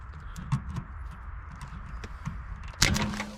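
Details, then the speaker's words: Abandoned 1967 Ford Galaxie 500, unstarted for years, no fuel added: low rumble, then a sharp snap and brief whirring crank as the solenoid's hot side is jumped to the starter side. "starter kicked in what'd you"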